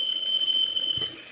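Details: Peugeot 408 engine running. A thin, steady high-pitched whistle that seemed like a pulley bearing but comes from the valve cover breather (PCV) valve squealing.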